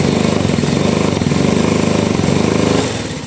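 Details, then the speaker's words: Honda Revo that suddenly went weak and won't rev: held at full throttle the engine drones at flat pitch, never picks up, then sags, rough sounding; loss of power traced to worn camshaft. "Nah, makin digas mentok malah makin enggak ada tenaga."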